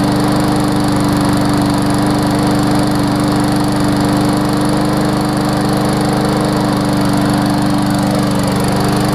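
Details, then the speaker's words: Briggs & Stratton Classic single-cylinder push mower after replacing tar-like old oil, adding Seafoam and seating the spark plug: steady even drone at constant speed without labouring or misses; normal running, no longer struggling. "it definitely doesn't sound like it's struggling like it was when it had the tar oil in there"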